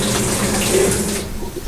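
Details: GE top-load washer in test mode during a no-spin, lid-lock diagnosis, cold water valve test; steady rushing water with a faint even valve hum, no chatter or buzzing: cold inlet valve works normally.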